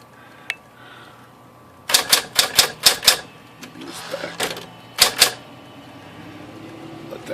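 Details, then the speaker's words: Smith-Corona Electra 120 electric typewriter: sharp bright key strikes with an odd extra click as a far-side typebar hits the side of the ribbon spool, not the case. "so I took a look in here pretty quickly I could see it was hitting the side of this side of the spool here"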